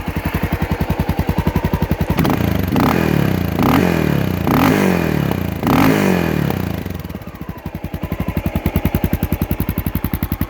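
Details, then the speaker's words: Honda XR650L adventure build with aftermarket exhaust and Trail Saver quiet tip: steady single-cylinder thump at idle with a few throttle blips, settling back to an even, unlabored beat; quieter than expected, runs healthy. "It's actually not that loud either. The pipe sounds great. I'm pretty pleased with the tone of it."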